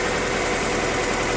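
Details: 1999 Honda CR-V running badly, intake removed, fuel already checked: uneven, lumpy idle with irregular stumble and shaking; misfire, with bad compression found.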